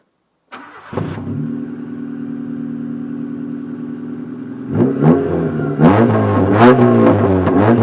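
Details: Honda Civic EG3 petrol with the end muffler removed: loud open exhaust, starts, idles unevenly with a stumbling pulse, then revs roughly; misfiring.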